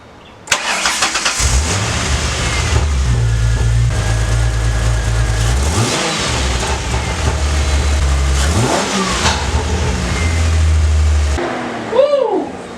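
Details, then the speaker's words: Mustang engine after a spark plug was welded in (it previously blew out around 3,500 rpm): cranks, catches quickly, revs cleanly with no popping, misfire or ticking; plug held and no smoke. "Rev it up to about 2 grand. Hopefully it doesn't shoot out."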